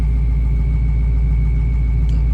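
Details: Built 6.0 Powerstroke diesel before first drive after rebuild: new standpipes and dummy plugs, fuel bowl delete, rail drained, possibly still air in system; deep, steady, even idle, no knocks or misses. Normal idle.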